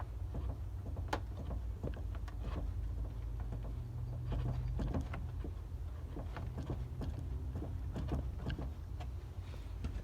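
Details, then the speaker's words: Car with a panhard bar; noise heard over bumps at the drag strip. Rocking the bar left to right gives irregular dull clunks and sharp knocks from free play. The bushing or bearing inside the joint has failed, not the bolt. Worn panhard bar bushing. "I mean, it should move when it's greased, but that's free play. Now if I go left to right, you can hear it."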